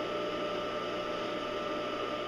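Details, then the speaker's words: Smooth, even hum with a steady tone, no rumble, knock or scrape: a scrapyard electric motor driving a home-built cyclone dust-collector blower, quieting as the bearings warm and new grease mixes with old; an earlier whistle was feared to be vibration resonance. "as the bearings warm up and your and your new grease and your old grease combined that they'll they'll quiet down a little more you can hear it quieting down as we"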